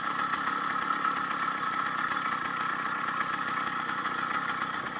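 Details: 80cc two-stroke motorized bicycle engine idling just after start-up, following a needle-bearing wrist pin kit upgrade (old bearing had pitted the pin) plus unbroken-in rings. Steady, even buzzing idle with no knocks or rattles; healthy.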